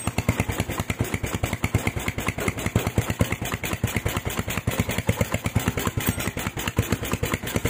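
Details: Honda Tiger stock engine with PWK 28 NGO carburetor, fatter-profile GL Pro needle fitted: steady single-cylinder idle with soft hissing, wet rich edge, but rpm no longer hangs on throttle release; pilot jet to be lowered to 30 next.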